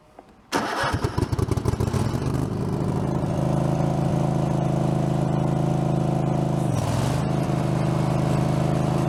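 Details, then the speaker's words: Craftsman garden tractor, engine badged 22 hp, possibly 18 hp: uneven, stuttering crank before it catches and runs steady; sounds like a dead battery but is a loose starter wire cutting out. "You guys heard when I hit the starter that sometimes it sounds like a dead battery, but it's not. It's just that wire kicking out."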